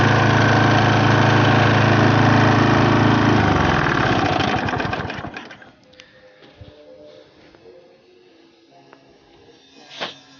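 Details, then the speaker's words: Briggs & Stratton Quattro 4 hp four-stroke on a Masport mower, seized and unused 7 years, revived with oil change, cleaned fuel tank and plug; steady even single-cylinder beat then shut off and winds down; no smoke, running normally. "So there you go, no smoke, running okay."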